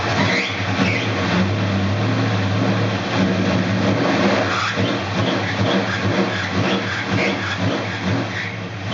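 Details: 1969 Dodge Dart Swinger 340 V8, first start after reinstalling the K-frame, engine and transmission assembly: rumbles through a rev then settles to a lumpy but steady idle, no knocks or squeals; normal running.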